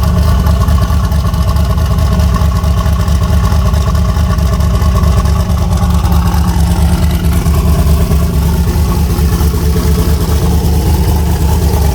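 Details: Chevy Nova boosted V8 with S480 turbo swap, just fired up in freezing cold (about 27°F) and warming up: deep, loud, even idle with slight steady lope, no knocks or ticks; normal idle.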